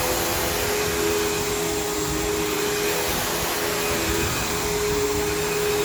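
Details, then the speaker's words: Vacuum running on new carpet with a chewed-up, loose brush roll: a steady motor roar with a wavering mid-pitch tone and a rough, shaky rattle, vibrating enough to knock cups off a table, with a long motor wind-down. Damaged brush roll. "seems kind of chewed up it seems a bit loose so this is going to have a pretty uh pretty gnarly amount of rattle to it so it's going to sound pretty rough"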